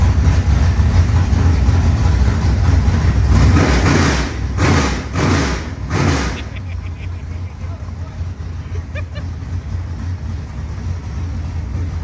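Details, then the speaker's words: Rebuilt 25-year-old SBC 400 small-block V8 race engine in a Chevelle: loud, lumpy, slightly high idle with quick throttle blips rising and falling cleanly; healthy. "that's it dude that is so loud I forgot how loud this thing was that was so good"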